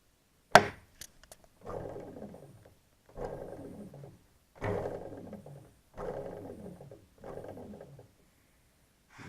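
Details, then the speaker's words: NTM Prop Drive 28-30S 900kV brushless motor spun by hand: whirs down in short bursts with a rough clicking/grinding rattle from faulty bearings, the motor also showing wobble. "this is the first motor I'll bring the camera closer so you can hear the clicking when it's when it's"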